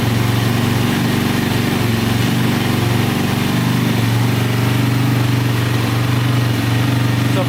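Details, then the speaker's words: 2004 DVX 400 quad, start after repairing every bent valve, which caused a no-start and loud click; steady even single-cylinder idle, no knocking, ticking or leaks, the engine sounds healthy. "so good no leaking or anything sound pretty good so i think that's fixed awesome"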